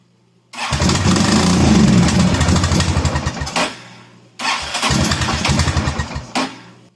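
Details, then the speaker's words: Kawasaki Prairie 400 ATV, after a voltage regulator replacement, fuel switched off reserve: single cylinder fires rapidly in two bursts of about three seconds, stumbles and dies, with a burning smell and smoke; engine catches but won't keep running. "well it fired more than once that time oh my gosh it wants to run"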